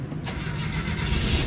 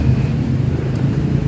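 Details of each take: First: Mitsubishi Adventure gasoline 4G63 start after repairs, with sensors and cooling system reinstalled: short crank, catches straight away and settles into a steady, even run with no knocks. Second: Mitsubishi Adventure gasoline 4G63, spark restored after IC, distributor and ICM conversion but still not starting: steady rhythmic starter churn, never fires; low compression from a leaking head gasket.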